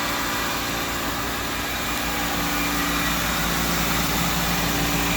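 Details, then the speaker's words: 2004 Pontiac Vibe (Toyota Matrix) with 200,000 miles, idling after a tune-up, new plugs, coils, MAF, PCV valve, throttle position sensor, fresh fluids, new engine and transmission mounts, and a computer reset: smooth, even idle hum, steady pulses, no knocks, ticks or misses; normal idle. "good, huh? Yeah. It sounds real good. Very good, man."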